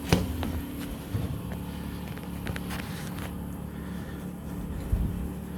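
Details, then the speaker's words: 1963 Mack gasoline truck running after first start in 4 years (suspected bad gas), rag in air intake since choke cable unhooked: low steady idle rumble with some clanks and thumps; owner wonders if water pump isn't sounding good. "Be completely honest, it just fired up for me off camera. Had to stuff a rag in the air intake."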